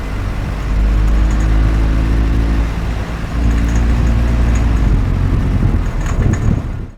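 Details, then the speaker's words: Car engine knocking (detonation) at low rpm: low labouring drone with faint metallic rattling ticks; low-rpm knock does little long-term damage, high-rpm knock worse. "تو این خودرو تو دور پایین خودرو ناک داشت حالا ناک زدن تو خ دور پایین خیلی آسیب تو بلند مدت وارد نمیکنه"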